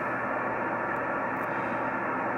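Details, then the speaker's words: Yaesu FT-1000MP Mark V 200 W HF transceiver on a 75 m dipole: constant loud hiss fills the voice range, no signals readable; excessive receive noise, cause unknown. "it is the 200 watt version but look at all this noise I'm getting"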